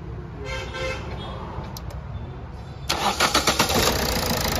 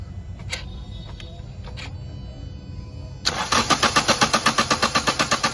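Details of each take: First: Toyota Etios diesel after misfuelling, all four injectors serviced and refitted, air bled: engine fires after a brief crank and runs evenly, back leakage now much reduced, starting normally. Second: Toyota Etios diesel, petrol wrongly filled, tank drained and diesel filter assembly replaced: steady starter cranking that never catches; long crank caused by heavy back leakage from injectors 1 and 4 seen with return pipes removed.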